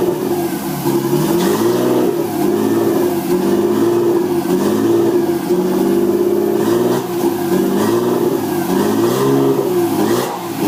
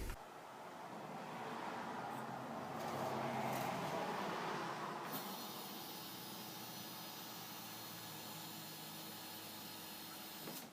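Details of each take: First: RB20DET (240SX S13 build), second startup, no mass airflow sensor fitted: revs up and drops back cleanly several times, smooth and even with no knocks or ticks; healthy engine despite idle being too high. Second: RB20DET in a 240SX S13 on an engine stand, after rewiring the harness and jumping the neutral circuit: fires right up and holds a fast, steady idle that stays high; no mass airflow sensor fitted, no vacuum leaks found, cause unconfirmed.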